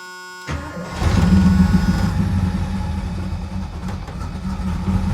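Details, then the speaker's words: Euro Mercedes 6.9 cold start after sitting since the previous afternoon, exhaust manifold cold, no throttle: cranks and catches quickly, then a loud, rough-edged cold idle with busy clatter over low rumble; oil pressure good. "Of course, you see I didn't have my foot on the gas. It's noisy, but oil pressure's good."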